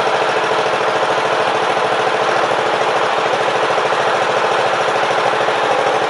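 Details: Briggs & Stratton Power Built 12.5 HP flathead Model 28 mower engine, first start after rebuild, carb set 1.5 turns out: a fast, slightly uneven single-cylinder chug that quits a couple of times when given throttle; blamed on an old, non-original carburetor.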